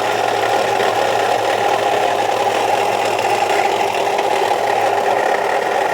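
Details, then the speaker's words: 2003 Chevy Trailblazer petrol engine idling with a fast, steady metallic rattling/knocking. A shop blamed the fan clutch, but the noise persists after replacing it; the owner feels by touch where it may come from, unsure. "got a a noise in here sound like a rattling or knocking noise uh took it to Sears Automotive and they said that it was the fan clutch so I replaced the fan clutch"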